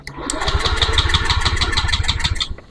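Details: Honda Beat eSP scooter, MIL blinking: starter whirs with rapid even compression pulses about two seconds, never fires; cranks but won't start, ECU ground signal being tested.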